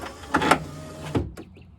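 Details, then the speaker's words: 2006 Nissan Frontier driver-door power window: short rasping grinds as the motor runs, with the regulator cable rubbing its spool and trying to jump the track again after reassembly; the motor needs replacing. "you can hear that cable you can hear that cable is trying to jump back off the track again it ain't it ain't jumped off yet but i can hear it hear that paper rubbing"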